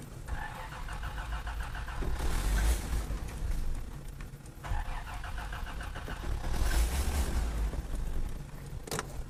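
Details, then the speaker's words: 1986 Toyota Land Cruiser FJ60, carbureted, after sitting; two uneven cranking bursts with the choke on and then off, and it never catches. Trash seen in the fuel, and water was found in the fuel; crank no start from water in fuel. "let's turn the choke off and see what it does nothing no no no no no no no no something is wrong with the toyota land cruiser something's wrong with it"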